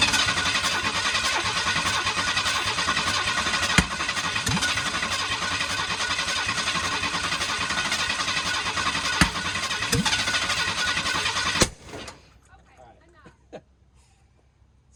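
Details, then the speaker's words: 1991 Ford F150 under restoration, first start attempt with some fluid sprayed down the throttle body: long harsh cranking with sharp pops, never catches; backfiring up and out, owner suspects timing is off. "So I think the timing's not right because it's backfiring up and out, but and my ears are ringing."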